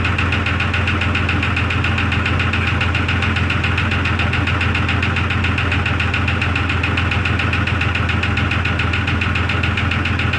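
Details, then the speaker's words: 2002 Jeep Grand Cherokee Laredo: sharp, even knock about 3.5 per second over a steady idle, not fading; owner thinks it comes from the rear, either a piston or a valve, and plans to remove the valve cover. "to me it sounds like it's coming from more back here [Music] it's going to be either one of these pistons or a valve down here"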